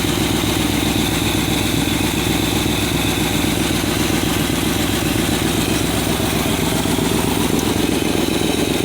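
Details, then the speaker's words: Edsel V8 idling steadily after a new fuel pump, running much smoother than before, with a sharp puffing tick over the rumble from several remaining exhaust leaks. "and uh you can still hear the exhaust leaks of course but all this thing sounds so much smoother and so much better"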